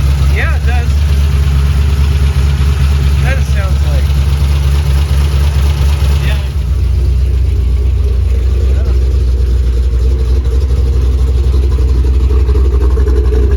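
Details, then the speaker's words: 3V Mustang GT 4.6 V8, newly installed engine with new clutch, flywheel, headers and the original Steeda underdrive pulleys, first start: settles into smooth even idle, then steps down to lower steady speed without stumbles or knocks; normal start and idle. "So it ran really good. I drove it. Clutch feels smooth. Everything feels good."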